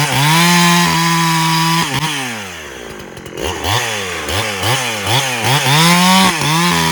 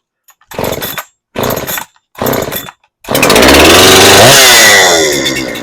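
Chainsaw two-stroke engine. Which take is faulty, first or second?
second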